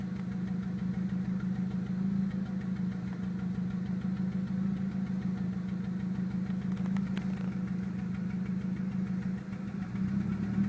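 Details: Petrol AZH engine misfiring, idling with an uneven, stumbling pulse, about three beats a second, then revving briefly.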